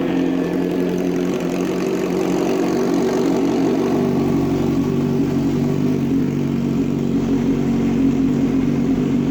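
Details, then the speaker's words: 2005 Kawasaki Ninja 636, sat in a shed for years, fresh start after fuel pump priming: engine catches and holds a steady mid-pitched buzz with slight speed wander, not yet warmed up. Normal running. "so all right so she runs that is a good sign all right so she runs so that's good"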